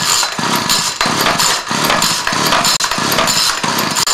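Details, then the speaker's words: String trimmer stored six months in freezing Utah weather: repeated pull-cord rips about every half second turn it over but it never fires despite choke and priming; carburetor gaskets, seals and diaphragm suspected. "choke it I could prime it I can do whatever but it's not going to start and I can pull on this all day long"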